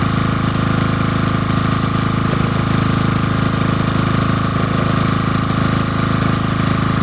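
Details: Generator cold start on a freezing, windy day, air filter kept on because its carburetor and tank run poorly without it; steady, even idle with a regular low thump, about three firing pulses a second, no misses: running cleanly.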